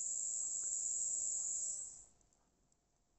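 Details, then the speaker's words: Serviced and cleaned Jouef 3-pole model locomotive motor bench-tested at about 9 volts with polarity inverted: clean, steady high whine for about two seconds, then smooth spin-down with no screeching; now much quieter than before cleaning, running normally. "Let's invert polarities. That's a much quieter motor. Much quieter."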